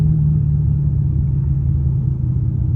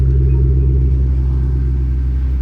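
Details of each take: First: 2005-2009 Mustang GT V8 rumbling under load with an uneven, stumbling light misfire only under load, not at any rpm alone; owner suspects a lean condition or fuel filter, with carbon-fouled spark plugs also noted. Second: 2005-2009 Mustang GT V8 after replacing spark plugs (old ones carbon-fouled, one overheated) and refitting the coil packs to cure a misfire: smooth, steady deep idle with no stumbles or skipped beats.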